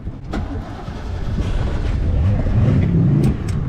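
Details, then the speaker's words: 1988 Ski Supreme boat engine, hot restart after 8-9 minutes at the dock following vapor lock trouble: catches after cranking with a little gas and settles into a deep, slightly uneven idle that builds steadily; warm restart now good. "There she goes. She's firing up."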